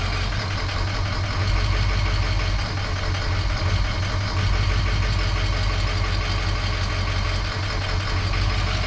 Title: 6.0 powerstroke rough idle no codes